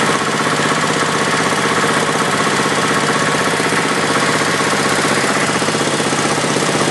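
Small single running steadily with a fast, loose rattle about four times a second and an uneven beat; rattle with occasional misfire.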